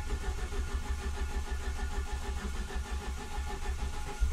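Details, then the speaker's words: Ford ST170 with GSXR 750 individual throttle bodies and ME221 ECU, difficult starting since head work, third start attempt, tends to worsen with each start: long uneven crank before catching into a rough low idle; hard starting. "you sir that to me is it's just not good started dollies just just pull"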